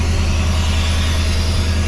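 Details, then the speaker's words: Off-road buggy "4 Lug Thug" idling after a new fitting, checked with no leaks; deep, even idle, steady low rumble, no misses, knocks or rattles, sounds good; normal idle. "That's a plus. Something works. Sounds good."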